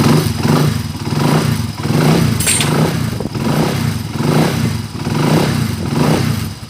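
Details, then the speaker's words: EXT125 small single after overhaul repairing noisy connecting rod: revs up and back down about once a second, pulling cleanly with even exhaust and no knock; runs smooth. "Okay tapos na rin itong ext mga kaabo yan wakas mga kaabo Sa wakas paandarin na natin yun oh smooth na"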